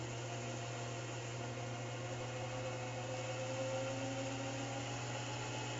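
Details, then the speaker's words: Spindle during machining of a Rivett power feed part: steady motor hum under a whine that drifts up and down; the failing spindle motor driver board makes the speed fluctuate badly. "At this point, the spindle motor driver board problem is getting fairly severe. You can hear the spindle speed fluctuating quite a bit."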